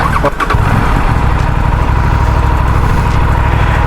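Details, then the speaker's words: Aprilia RS 457 at about 1600 km, cold start; catches almost at once and settles into a smooth, even, deep idle with no misses or knocks. Normal cold start. "अब इसको cold start करते हैं।"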